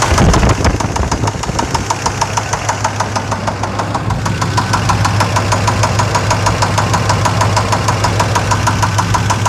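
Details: Chevrolet Suburban 5.7L after sitting a few months, fluids and gas checked: it started normally, then seconds later developed sharp, regular ticking about three times a second at idle. Cause unknown; ticking at idle.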